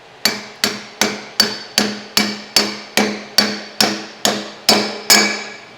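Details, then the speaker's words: C30 dually front suspension rebuild, new bearing race driven into the hub with a homemade pipe tool: evenly spaced hammer blows, about 2.5 per second, ringing sharper and higher at the end. Bearing race fully seated. "that noise means it's in yeah that's it it's in there it's in there"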